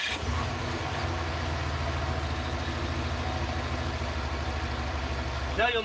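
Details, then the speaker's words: 2006 Pontiac GXP V8 with DOD/AFM, 73k miles, after lifter failure and VLOM plug install: after long crank (fuel pressure rebuilding), settles into steady, even low idle with no ticking or misses; now runs smooth, unlike before repair. "aside from that you can see it's running nice and smooth now it was running smooth before obviously but it wasn't running smooth before I got the vehicle here"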